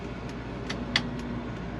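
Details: 1954 Buick Special Riviera with 264ci Nailhead V8 and Dynaflow automatic, idling; faint light clicks roughly every third of a second from the turn signal flasher cycling normally.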